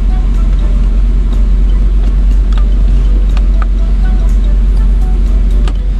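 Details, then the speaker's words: 1999 Land Rover Discovery that sat for years, running after replacing ECU and BCU, in neutral: deep, steady idle rumble, even with no stumbling or knocking. Normal idle. "I did have it in neutral to be able to start the engine so there's obviously some adjustments I need to make there but this thing is running it sounds good and that's amazing"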